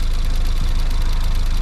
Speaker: right so after some faffing I've managed to Loop that pipe round to give this noise that's that high pressure fuel pump that runs off the cam that's ticking away that does need replacing